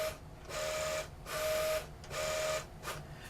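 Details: QIC tape drive fitted with a replacement Plastiband tension band, tape initializing and running: short bursts of motor whir under a clean mid-pitched tone, starting and stopping evenly without scraping or chatter; runs smoothly.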